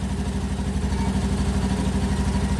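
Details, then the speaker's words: Honda Beat ESP injected scooter after replacing a faulty relay: quick, even low putter at idle with no misses; keeps running with a battery lead disconnected, charging normal. Normal idle. "Nah, sudah terlepas, motor tetap hidup, berarti normal, pengisian pun normal."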